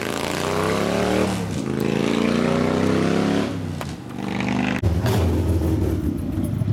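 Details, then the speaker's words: 1999 80ci Evo V-twin rigid bike on a road test after reassembly and repairs. The engine pulls smoothly through the revs with pauses for gear changes, and the earlier clanking and clattering is gone; it sounds tight and healthy. "now that now that you know the difference now you hear it's all tight you hear the difference in it now it's not clattering around this"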